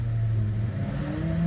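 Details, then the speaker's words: 2015 Subaru Forester FB25 2.5L with DIY Eaton M65 supercharger, new smaller machined clutched pulley, too few shims: engine revving with a faint rising whine when blower should be off; supercharger clutch dragging. "so I'm just started it up with not enough shims to fully space these guys so you can hear the supercharger running even when it should be"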